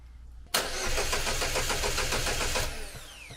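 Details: Chevrolet Cobalt SS (LSJ supercharged, just reassembled) cranks briskly about two seconds, roughly four beats a second, then stops without catching; intermittent no-start, owner suspected weak battery but cause unconfirmed.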